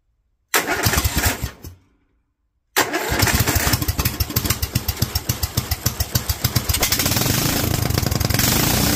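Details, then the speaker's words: Kohler single with Honda carburetor, .024 idle jet and 47 main jet: one failed pull, then fires and settles into a steady even beat of about four pops a second; running happy, kept for cold-weather use. "47 seems pretty happy I think it had a little bit more kick up with the 45"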